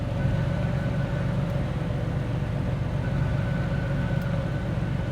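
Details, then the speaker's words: John Deere 8000 series tractor after rebuilding the selective control valve: steady diesel rumble, thin hydraulic pump whine coming in with each lever move and dropping away; pump now engages normally instead of constantly. "It seems to be working. You can hear the pump engage every time we do that, which means it's not engaged. It used to just always be on."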